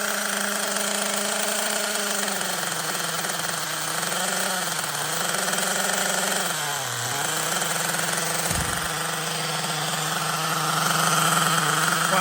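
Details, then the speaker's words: LRP 32x Spec 4.1 nitro engine on its second idle-tank break-in, needle unchanged, in a cold garage kept warm with a heat gun (engine about 57°F at start): high buzzy idle that wavers and sags, still running rich with lots of oil from the exhaust. "no problem let's see if we're making temperatures still running rich a lot of oil coming from the exhaust so attack number two still running rich"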